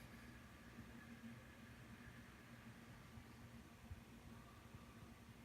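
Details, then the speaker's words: After-market PC CPU cooler fan at 100% in gaming mode, about 1500 rpm: soft, even airy whoosh with a faint hum, no rattle or ticking. Normal fan noise at full speed. "And the sound you can hear ramped up. This is the max noise it makes during a game at 100% CPU or fan speed, and that's about 1500."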